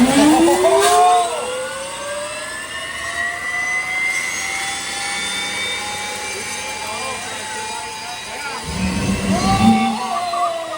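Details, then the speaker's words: 2010 Camaro jet car with Boeing T50 turbine engine, first start attempt: whine rises steadily as turbine spools up, then holds and fades without firm light-off; start attempt failed despite fuel. "It just tried to start. There is fuel in it. It just tried to start."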